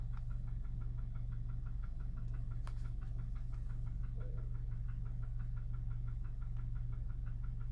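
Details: 2009 VW 1.4 TSI CAVD twincharged petrol engine at cold start idle with a steady, sharp knock, about three to four a second, despite a new timing chain set and fresh 5W-40 oil.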